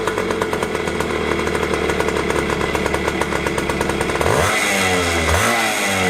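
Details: 2001 JR80 five-speed two-stroke dirt bike that wouldn't idle, after carb tuning (air screw 1¼ turns out, idle screw adjusted): crisp rev falls away cleanly to an even, steady idle, no bog or stumble; carb set right.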